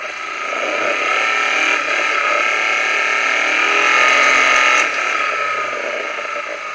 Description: Detecting Engine Knock/Detonation using the Phormula KS-3 and Knock Analyser Pro